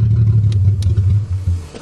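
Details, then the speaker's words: 1982 Toyota Cressida that runs with the fuel pump off; with fuel turned on it gets too much fuel pressure and floods: low uneven running stumbles, sags and stalls within two seconds; mass airflow checked, cause not confirmed. "If I turn the fuel on, it stalls. See? Fuel's off. When I turn it on, it'll flood out."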